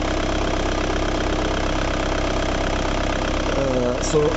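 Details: Ford Mondeo MK3 after a no-start, no-crank fault: steady, even idle with a smooth firing beat, no knocks or misses. The cause was a broken fuse, not the starter relay or the starter, which was replaced anyway.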